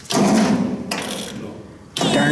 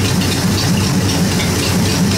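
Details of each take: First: 1953 Ford Golden Jubilee tractor, three cranking attempts about two seconds each, sluggish dragging cranking that never catches; not turning over enough. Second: 1953 Ford Golden Jubilee tractor idling cold, not yet warmed to temperature: even, steady low rumble with no knocks or misses; running well and nicely tuned.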